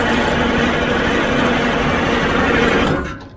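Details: Cold Detroit Diesel 6-71 engine, WD-40 sprayed into the intake as a starting aid: steady fast starter whirring for about three seconds with no firing; cranks but won't start.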